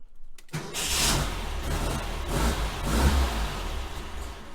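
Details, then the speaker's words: 1966 VW Type 3 Fastback, 6V system, new starter with a hard start relay kit installed and the starter wire reconnected: a brief quick crank catches almost at once and settles into steady running. Normal crank and start. "honestly since i've owned this car i don't feel like i've ever had that feeling from the key that i knew it was gonna crank over"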